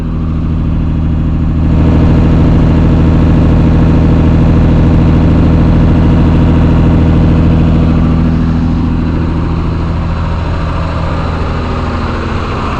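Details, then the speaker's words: Engine that sat several days, cold start on full choke with gas, heard at the tailpipe: steady, even exhaust beat at fast idle over 1,000 rpm with no misses; settles nicely with choke in. Fuel filter needs replacing again. "RPMs are over 1,000 right now, but it does settle down quite nicely with the choke in."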